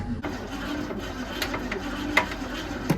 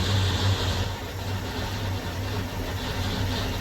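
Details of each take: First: 1966 Ford Mustang that sat 16 years, first cranking in neutral: uneven cranking whirr with sharp metallic clanks roughly every second; clanging inside the engine, cause unknown; owner plans to pull the fuel line and check the points first. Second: 1966 Ford Mustang, first start after sitting 16 years under a carport: low, steady idle burble with a slight lope, no clanking or knocking, getting smoky; sounds great, normal idle.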